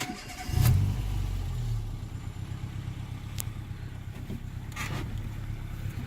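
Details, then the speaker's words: Mk1 Renault Clio RN 1.2 D7F, start on a mild November evening around 10–12°C. Owner has had idle control valve problems. Quick crank, clean catch and a brief flare, then a smooth steady idle with no stumble; normal start, running fine. "So it sounds fantastic. It's actually running. It's running okay."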